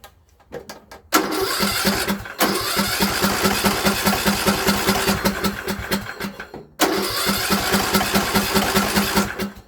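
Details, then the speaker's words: Craftsman LT2000 riding mower after exhaust cleared with leaf blower and refitted: engine cranks briefly, catches and settles into a steady even beat with one short dip; quieter than before, though governor then seemed stuck, possibly from a sticking carburetor throttle linkage. "Alright. Check that out. nice and quiet. See if it'll start right up."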